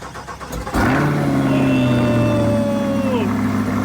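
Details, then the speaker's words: 2023 Chevrolet Corvette C8 V8 being rebuilt after a wreck, stock exhaust: starter catches and engine fires hard into a strong, even, deep idle with a slight blip; sounds healthy. "give it a right dang D sounds sick insane man just like that with the stock exhaust"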